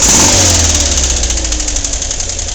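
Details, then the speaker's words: Volkswagen, warm after a morning drive, idles roughly with a loud, sharp, irregular metallic clack from one lower corner of the engine, louder than its usual noise; cause not yet found. "out what's the matter with it can you hear the noise on this side of the engine I'm not sure how well you can hear that but there's a clack down in this corner and I got to figure out what it is"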